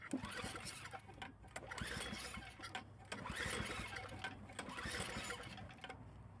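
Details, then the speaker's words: Snowblower refilled with oil and gas after being drained, spark plug wire reconnected: uneven pull-start cranking, never fires; suspected dirty carburetor or blocked fuel line. "Alright, so it needs a carb clean or the gas line is blocked."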